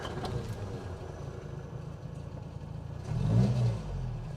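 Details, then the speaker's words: Sunbeam Rapier Mk III 1500 engine on a chilly morning with a little choke: cold engine ticks over evenly, then a clean rev blip rises and settles without stumbling; healthy, normal revving. "this engine sounds really well by the way I mean it always helps I think when Classics are driven regular Le cuz it just helps you keep on top of things"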